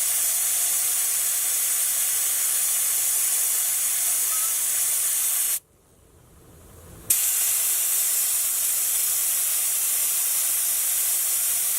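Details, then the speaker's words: 4WD tyre being aired down with a valve-core deflator that is now properly undone: a strong, steady hiss at full flow with only a brief pause; the deflator is seated correctly and all the air releases at once. "As you can hear now, all the airs get released at once."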